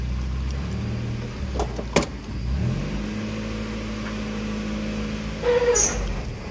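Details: Mazda Miata NA after return from a mechanic, also misfiring: low idle, then a brief high, thin squeal near the end of clutch release; source in the clutch area undetermined.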